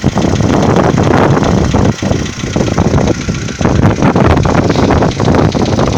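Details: 2015 VW Polo Sedan, cold morning start: a rough, rapid knocking over the idle hum. The owner asks whether it is piston knock; the cause is unconfirmed.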